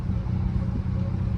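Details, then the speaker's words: Dodge Charger with check engine light, parts store scan showed misfire on cylinder 6; deep uneven, lumpy stumbling idle shaking the car badly, engine idling rough, likely misfiring, before repair. "bro I don't know if y'all can see this but my freaking car is freaking the idle is terrible like y'all see the camera shaking bro that's from my"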